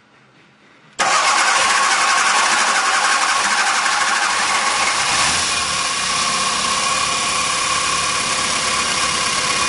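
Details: 1984 VW Rabbit GTI, 2.0 9N engine, converted from CIS to VEMS standalone EFI, timing verified, first start: brief crank, then catches at once and settles into a steady, even idle with no misses or knocks.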